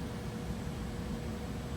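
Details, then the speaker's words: Newly installed Trane natural gas furnace (oil conversion) with the gas regulator elbowed horizontal for inspection. Steady burner and blower whoosh with no rattles or pulsing; it is running normally. "But other than that, looking good. Everything's running good."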